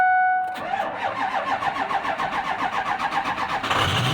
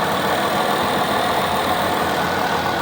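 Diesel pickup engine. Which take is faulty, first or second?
first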